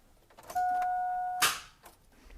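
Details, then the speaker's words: Porsche no-crank/slow-crank diagnosis: wiggling the bad battery cable restores power, a single steady chime then a clunk; wiggle test shows a loose battery cable connection. "now if I go to start it again that's going to go and you'll notice your headlights is going to flash on for a second and then they'll shut off"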